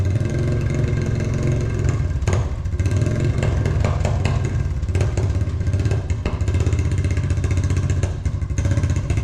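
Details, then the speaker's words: Honda TRX350 ATV after carburetor cleaning runs rough and clattery with flat, uneven blips that never climb; engine won't rev. Owner suspects non-stock air filter gives too little back pressure to lift the slide, or a ripped slide diaphragm; valves may also need adjusting. "I think what's happening is there's not enough back pressure for this slide to lift up."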